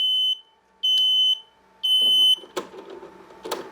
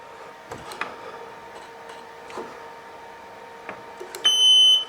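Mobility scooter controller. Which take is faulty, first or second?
first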